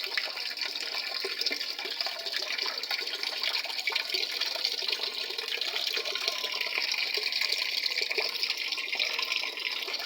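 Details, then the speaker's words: After control board replacement (old board corroded, power button cracked) on a Panasonic 7 kg top-load automatic washer, water level set to middle and restarted: steady hiss of water rushing in, no chatter or hammering; fills normally. "So dyan, ipinos ko, minto yung pasok ng tubig. Okay na. So yan, start ulit."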